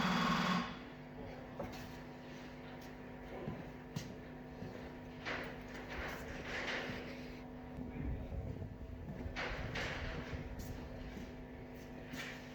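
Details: Opel Manta hatchback with Ascona front end, started after about 20 years sitting, still on old plugs, idle being turned up: uneven, lumpy, slightly misfiring low idle with loose clatter, barely holding on; rough idle.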